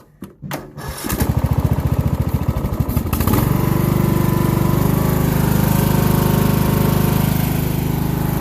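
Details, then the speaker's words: Craftsman LT1000 mower single-cylinder engine: cranks, catches, settles into steady slowish low-pitched chug, burning off oil and likely water; owner believes it runs about 2000-2500 rpm instead of rated 3500, below governed speed, cause unconfirmed. "so if you can hear it i don't believe the engine is running at the highest rpm if it's supposed to run at like 3 500 it's probably running around 2 000 2500"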